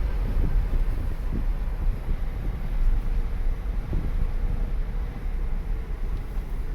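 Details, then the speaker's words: 2009 Chevrolet Impala while cruising after new wheel hubs and bearings were fitted: only low road rumble and wind, with no growl rising with speed; the earlier growling is gone and the wheel bearings sound normal. "yeah i like this man i don't hear any more growling from the"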